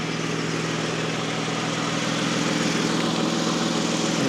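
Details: 2005-10 Toyota Avalon after AC compressor replacement, vacuum pulled, almost two cans of refrigerant, AC on high fan max at idle; compressor kicks on, steady even idle, no knocking, squeal or grinding; quiet, healthy, blowing ice cold.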